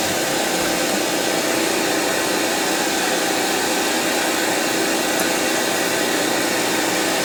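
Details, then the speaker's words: Sony EVS7000 with bottom cover and circuit board separated: loud, steady rhythmless hiss like radio static on the sound, louder with the bottom panel removed, as if interfered with; later traced to a bad capacitor in the audio circuit. "listen to the sound the same was when i closed the drawer the sound gets louder if i remove the bottom panel almost making it sound like something is it getting interfered with"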